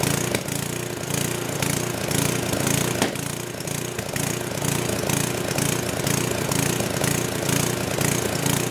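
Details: Old 10hp gasoline generator converted to propane/LPG using only the regulator of a cheap eBay aftermarket carb kit, choke open; uneven rising and falling note with an odd sharp backfire pop; owner suspects it isn't drawing enough fuel.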